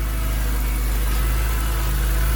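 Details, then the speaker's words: Retired BMW M3 track test car with independent throttle bodies, first run after sitting for years and a fuel system refresh: deep steady idle with slight uneven throb underneath; a little rough from storage but running. "Oh yes. Now she's a tad cranky"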